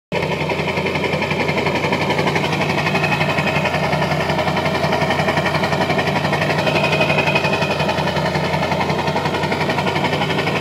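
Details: Diesel with a modified HPOP pump idling rough: uneven, lumpy beat of about four pulses a second with a wavering note; rough idle, cause not confirmed.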